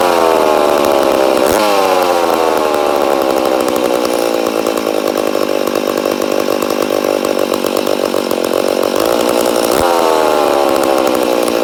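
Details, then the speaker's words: Rebuilt McCulloch Super Pro 80 chainsaw, first start: screams at high revs, sagging then climbing in uneven surge; uneven running, suspected air leak. "sounds like we got air leak definitely sounds like she got an air leak but she does sound good yeah I'd say we have an air leak somewhere"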